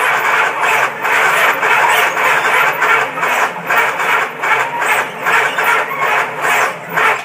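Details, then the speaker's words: 1969 Dodge Charger no-start, battery fully charged and passing load test, firing order and distributor timing correct; heavy labored slow cranking about two and a half turns a second, sounds like dead battery but isn't, never catches. "you can tell by the sound of that that it acts like the battery is dead or dying and it's not it's in really good uh shape shape yet"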